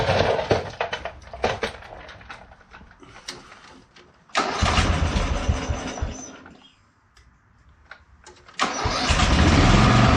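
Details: Bolens FS-11 articulating tractor, first start after repairing broken wiring and connecting the kill switch to the coil ground, battery at 12.8 V: several cranking bursts and a pause, then it fires and holds a steady running note; starts and runs normally.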